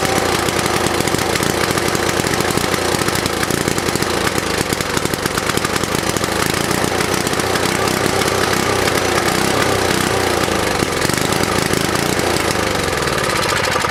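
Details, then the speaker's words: Vintage snowblower engine after cleaning, choke and throttle redone: pops and stutters unevenly with rattly exhaust, no steady beat; runs rough, muffler making weird noises as debris burns out. "It's running like hell, but it runs."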